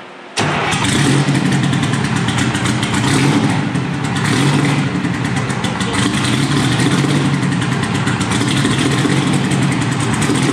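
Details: Detroit Diesel 4-71, first start after rebuild: catches at once and settles into a loud, even diesel clatter with a steady beat and no misses; running healthy.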